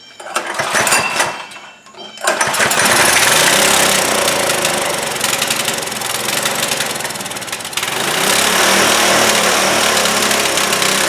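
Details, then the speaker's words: Trailmaster go-kart with a Chinese Honda-clone single-cylinder engine, after sitting over a year, first carb cleaning: runs hard and busy only with the choke held closed and dies when the choke is released; carburetor still partly blocked. "Wow. It's running if I choke it, but when I release the choke, it doesn't want to stay running."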